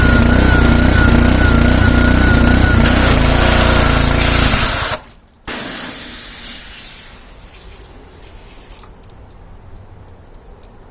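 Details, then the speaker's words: Simpson 3000 PSI pressure washer with Honda GCV engine, long stored outdoors, runs steadily with pump whine then abruptly cuts out about five seconds in, stalling under load; owner plans carburetor cleaning, cause unconfirmed. "So, this thing has that tendency to cut out."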